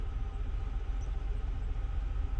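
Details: 1999 Buick Century at idle before mass airflow sensor replacement, hesitating and wanting to shut off: low uneven loping idle with wavering loudness and slight sputter; uneven airflow into throttle suspected, not confirmed; rough idle.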